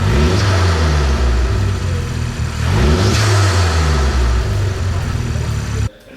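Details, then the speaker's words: Audi S3 8P with the EA113 2.0T FSI engine, just after a cam follower replacement, fuel pumps primed and run four to five minutes: it idles smoothly and a rev blip rises and settles cleanly with no knocks. Normal engine rev. "Right. So that's a bonus. She uh she runs after the fuel pump is primed and then that's it."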